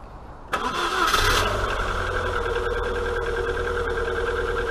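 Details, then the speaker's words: Rover 45 starting after storage and a service, cranked repeatedly first to circulate oil and prime fuel: starts promptly and idles with a light, quick top-end tapping. Blamed on worn camshafts and cam followers; head rebuilt a few years ago. "sounds a little bit county because it wants some new camshafts and cam followers"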